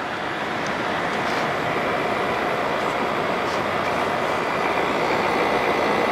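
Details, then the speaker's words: 1988 Fedders Cool Tote Slim 5000 BTU portable air conditioner running in cool weather below 60°F: even, steady rushing fan air over a super quiet compressor, barely audible unless up close, no knocking or rattling; unit cooling, frost on coil, healthy. "Wow, that compressor is super quiet. You can barely hear it. That's incredible. You can't even hear it unless you get right up close to it."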